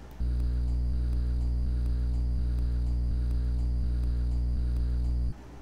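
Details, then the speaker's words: MXL 770 XLR microphone: loud, constant low humming in the background whenever recording, traced to a grounding fault inside the microphone itself rather than household wiring; microphone ground hum. "So I got the XLR MXL 770 microphone and had an issue with it a week or two ago where as soon as I would go to record something I would have this constant humming in the background and it was pretty significant"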